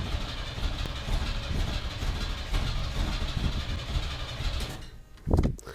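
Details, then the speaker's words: 1991 Chevy S10 Tahoe after starter replacement, coil wire reconnected: steady even cranking for several seconds, but the engine doesn't catch; crank, no start. "Well, it's not running, but the starter's sounding a lot better."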